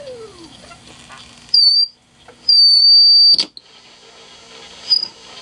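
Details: 1940s Standard Business Machines model 160 Magnescriber Deluxe wire recorder: sharp, steady high whistle in two bursts of about a second each over quiet hiss, likely the amplifier oscillating. Cause unconfirmed.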